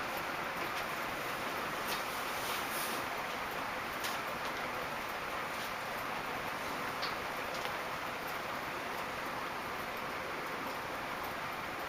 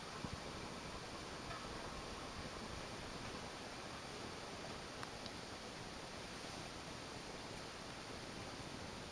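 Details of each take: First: Early-1980s 4 Seasons 90 cm four-blade metal ceiling fan, made in Taiwan, running at speed three: a steady airy hum with faint irregular ticking. Bearings are quiet; pieces of ceiling plaster are rattling inside the motor. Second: Early-1980s 4 Seasons 36-inch ceiling fan, Taiwan-made, four curved metal blades, original five-speed wall control, at slowest speed (est. 120 rpm): soft even airy hush, no rubbing or ticking, much quieter; normal low-speed running.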